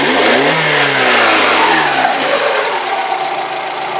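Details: Mazda Miata started after sitting for months, having earlier cranked without starting; settles from a fast start to idle with a quick light tick about four per second over a hissy idle, plus an electrical noise; cause unknown.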